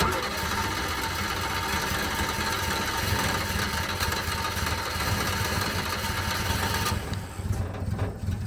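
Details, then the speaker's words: Subaru Sambar KS4 imported from Japan after a no-start, ignition now sparking on a tester: the engine catches but runs ragged and uneven, sputtering while it burns off fuel flooding the combustion chambers, with weak, dirty spark plugs. "so it has started and is running just not very well it's got to puff and burn all of that uh fuel that was in those combustion Chambers and everything out of there and those spark plug are pretty weak and pretty gross"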